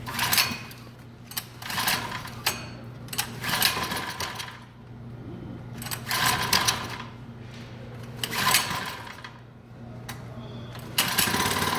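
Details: 79cc Predator engine, first start after rebuild with leaking fuel line and governor bypassed: irregular surges and sags, never steady, shuts off on its own; owner suspects a pinched piston ring.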